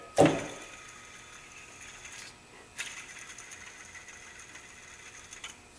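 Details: Drive belt tensioner assembly removed from a 2003 Honda Accord 2.4L and spun by hand. It gives a dry, rough whirring hiss that fades as it coasts, from a noisy worn pulley bearing; the whole assembly is being replaced.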